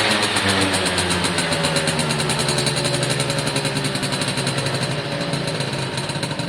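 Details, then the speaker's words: Suzuki AP50 two-stroke after carb clean, air box refitted, revs held by hand (throttle cable unconnected): buzzy revs climb and drop cleanly, no stumbling or popping; normal revving once choke sorted itself out. "ah that seems better to me once the choke i thought itself out"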